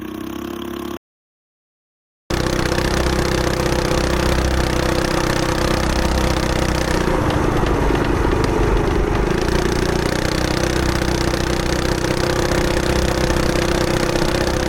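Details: Coleman BT200X mini bike rebuild with torque converter, aftermarket exhaust, 24mm carb replacing stock and billet flywheel, on a test run: after a short gap it settles into a steady, even run with a slight rev swell; healthy.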